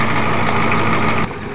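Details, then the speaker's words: Ford F-250 diesel, not started for a year, bump-started by towing with a Dodge, warming up: smooth, steady low diesel idle rumble with no misfire or knocking, and no more smoke. "Well, if he ever comes back, we'll let our island warm up. Sounds good anyways. And no more smoke."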